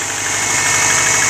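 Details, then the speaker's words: Early-2000s Subaru Forester, 250k km, cold start with Mobil 1 5W-30, fresh head gaskets, timing belt, tensioner, water pump, valves in spec: hollow light knock over busy top end at idle; classic piston slap, harmless but annoying; injectors add some clicking. "this is fairly classic piston slap you can hear right here again it's not a problem to the engine it's just annoying for the driver"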